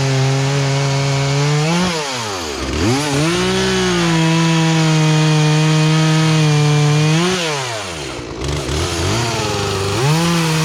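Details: Poulan Pro two-stroke chainsaw, sat unused about three years, after carburetor adjustment, cutting small logs; strong steady howl drops under load in the cut and climbs back cleanly at full throttle; saw runs right.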